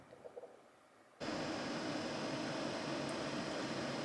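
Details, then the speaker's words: BMW E30 heater blower after greasing its squeaky bearings: after near silence, it starts with a steady smooth rush of air and no squeal; noise fixed. "il y a plus de bruit bon une belle économie de fête on va voir si ça dure dans le temps maintenant mais en tout cas graissage des roulements et c'est nickel"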